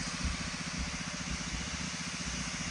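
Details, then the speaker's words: Shark steam mop model S3601 after disassembly and reassembly to fix a month-long loud weird noise while steaming: now a soft steady hiss with a faint low pump pulse, no rattle or buzz; noise gone, steaming normally. "So after putting it back together, it's fully functional and there's no sound. The rear sound is gone."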